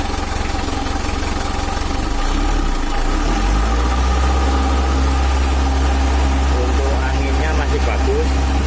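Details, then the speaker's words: Mitsubishi L300 4D56 diesel, factory-stock and untuned since 2016, weak on hills and sluggish, before tuning: steady low clatter at idle with an uneven, coarse rough undertone; cause not pinned down, something inside suspected and to be checked. "dan ada suara kasar mungkin itu Teenebelle atau apa di dalam situ nanti kita cek"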